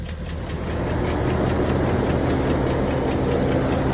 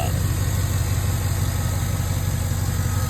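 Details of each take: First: 2011 Cadillac Escalade, 6.2L V8 with AFM, 178 (thousand) miles, on day two of Marvel Mystery Oil and Sea Foam treatment. A steady tick of about four per second keeps pace with the engine, louder than the day before; a lifter is suspected. No check-engine light. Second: 2011 Cadillac Escalade 6.2L V8 with AFM, 178 miles, previously had a loud lifter tick. On day two after Marvel Mystery Oil, Sea Foam, an AFM disabler and hard freeway pulls, it idles smooth and steady with no ticking. The owner believes the stuck lifter is freed but isn't sure it will hold.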